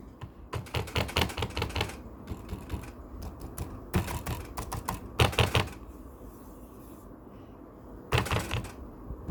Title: Razer Blade 15 GTX 1660ti hard drive loose, making rattling sound